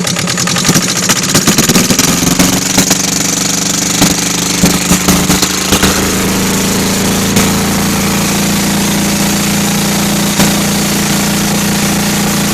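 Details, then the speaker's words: Kohler KD425-2 diesel, cold day, after fixing leaking fuel lines and tune-up for hard starting; steady diesel clatter with a thin high-pitched buzz on top, even speed, no miss or knock; normal running. "right there, I can hear a little bit of that two-cycle tone I was talking to you about. Kind of hard to hear the engine talk. Yeah, some air. There's that tone I was talking about. Nice and loud, man. I love it."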